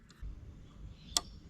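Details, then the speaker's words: Sun Fun Kit battery case electronic thermostat on a power supply, starting at 23 degrees; quiet, then one crisp single click as the heater relay switches with rising temperature, turning off at 27; normal relay operation. "When temperature increases, you could hear the click of the relay. At 27, it turns off."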